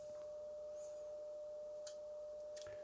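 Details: Graetz Melodia 519 valve radio under restoration, scope test tone through the audio stage: pure, steady mid-pitched tone with no hum, buzz or crackle; amplifier working cleanly, though volume pot still scratchy at low volume.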